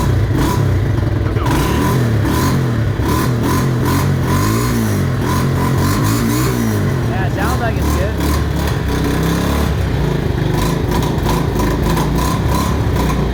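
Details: Mojave 250 single-cylinder, first start after timing chain replacement, fresh oil: revs rise unevenly and hang back when throttle opens, stumbling before picking up; owner wonders if timing is off.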